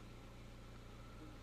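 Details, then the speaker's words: 2005 Honda Jazz after the crankshaft sensor was replaced for code P0339: steady, even low idle with a smooth firing beat and no misses or stumbles. Normal idle; no other codes returned. "so it's running I think we'll just clear that but if there's any further update I'll give you a shout"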